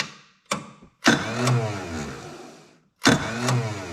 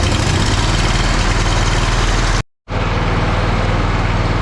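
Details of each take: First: Lesco zero-turn mower with a Kohler CV20 20 HP V-twin, started after a charging system repair: a brief stab of cranking, then a longer crank that fades without catching; the starter is finicky and erratic. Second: Lesco zero-turn mower with Kohler CV20 20 HP V-twin, after charging-system repair with new regulator/stator parts: steady, even low rumble with smooth firing beat and no knocks or misses; running healthy.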